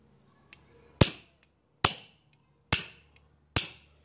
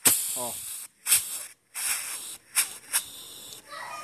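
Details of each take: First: Firing valve tested on a small cylinder with a spit bubble check showing no leak: four sharp, clean discharge pops a little under a second apart, with quick decay and no hiss afterward. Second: Firing valve on a 150 pre-cylinder, compressor pumping air through it: sharp bursts of high-pitched hiss separated by quiet gaps, small leak; air escaping past the valve seat.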